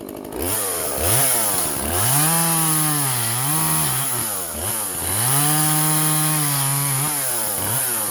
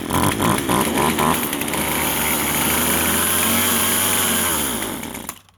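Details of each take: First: Vintage Husqvarna 136 chainsaw, California emissions model, after clearing a plugged muffler and carb work, cutting wood: revs up crisply, pulls steadily through each cut and drops back cleanly to idle. Normal running under load. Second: Vintage Husqvarna 136 chainsaw, California emissions model: revs with a strained, flat note, can't hold speed, then sags and dies; bogging, first suspected carburetor, found to be a plugged muffler.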